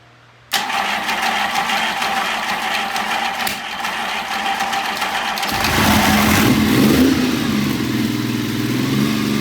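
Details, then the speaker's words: 1975 Triumph Trident with electric start, first start with starter fluid in the carburettors and the choke off: it catches instantly and holds a fast, busy idle that climbs further; the idle adjusters are set too high. "Choke's not on. Nope. Nope. It's just they're just too high. They're just too high."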